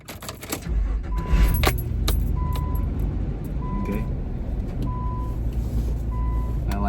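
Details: Car just repaired three times after a failed distributor cap, started for a test drive: keys jingle, engine catches quickly and settles into an even idle under a repeating door chime; normal start and idle.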